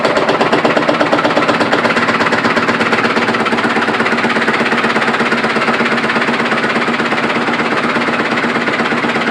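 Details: Samsung direct-drive washing machine in spin cycle: heavy evenly spaced banging nearly three per second with strong vibration, even a burning smell; broken brittle cast spider arm inside the drum, fixable by replacing the spider arm assembly.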